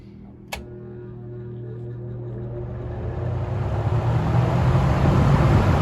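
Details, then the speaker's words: 1950s-60s Westinghouse automatic box fan with thermostat control, freshly oiled, started blowing toward the mic on high: a click, then low motor hum as blades spin up into a smooth rising rush of air, no rattle; normal fan operation. "anyway i'll start it up on towards me first on high and switch it to low and flip it"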